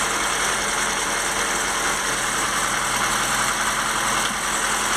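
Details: FSC Żuk old 1-ton petrol truck after replacing a broken exhaust manifold stud. It idles steadily with a busy, hissy hum and no sharp puffing tick; a slight leak remains between the intake and exhaust manifolds.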